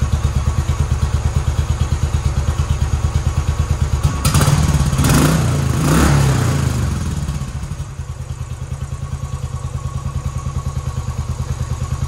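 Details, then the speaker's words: 2010 Royal Enfield Bullet Electra EFI, 965 miles, unrun for a couple of years, first start after fresh fuel, a replacement battery and a fuel leak repair: steady single-cylinder thump at idle, a brief rev, then it settles evenly; runs nice, slightly smoky. "runs nice"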